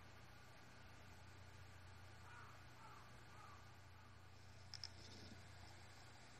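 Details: Seagate BarraCuda 8TB ST8000DM004 (10,325 hours, 2,118 reallocated sectors) after swapping to another maker's SATA adapter board: only a faint, steady low hum, no clicking or grinding apart from one outside tap; the earlier noise stopped.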